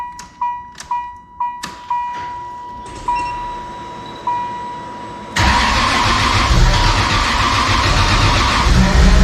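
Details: Toyota 2JZ inline-six catches after dash chimes into a lumpy, uneven idle lacking drive, needing throttle held to barely idle, rich black exhaust; not running on all 6 cylinders, misfire; intake manifold also found warped.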